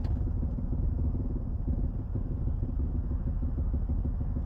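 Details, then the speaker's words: 2004 MG ZT-T+ 180 2.5 V6 automatic estate at idle: a steady low rumble with a faint buzzy vibration as the exhaust, sitting too close, rattles against the floor pan. "I have a little bit of a rattle as well from the exhaust vibrating off the chassis, so I suggest that that's been adjusted and it's just a bit too close to the floor pan of the car, because on idle you can just hear it going."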